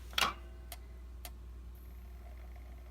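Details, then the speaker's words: Original PlayStation after repair of I/O board arcing (loose first capacitor resoldered): sharp power-on click, two light ticks, then quiet even run with faint disc spin, no buzzing or hissing. "there is no buzzing or hissing sound you hear the CD spin up but that's about the only thing I'm hearing so it sounds like everything's working good"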